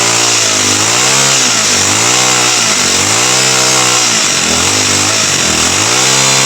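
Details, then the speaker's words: TX35 four-stroke brush cutter, customer-fitted new carburetor, no-start fixed by priming fuel and spraying gasoline into the intake; small engine buzzes and revs up and down cleanly, no misfire, running normally. "อ่ะไปแล้วพี่น้องติดแล้วครับผม"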